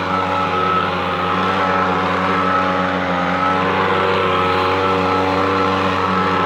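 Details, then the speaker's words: Echo PB-250LN handheld leaf blower after fuel line repair, warm after its first minute of running: steady, high buzzing two-stroke drone holding even speed without surging or dropping out; normal running. "now I never saw it running before I repaired it but I know what's running now it takes that first minute to to get warmed up and then it runs pretty good"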